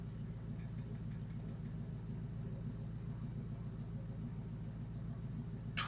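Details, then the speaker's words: 2004 Pontiac GTO restoration first start, headers refitted: deep choppy, very loud unmuffled exhaust rumble at steady idle, firing evenly on all cylinders; no leaks found, engine runs fine. "so far we have no leaks and uh no pliers so that's good but it is scary how loud it is you can't hear anything over this bar because it's obnoxiously loud"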